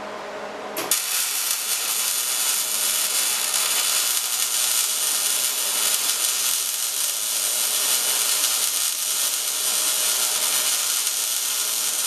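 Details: MIG welding at 200 inches per minute wire speed and 16.5 volts, drag technique close in, with big nozzle: steady, even frying-bacon crackle, no popping or wire stubbing; arc correctly tuned.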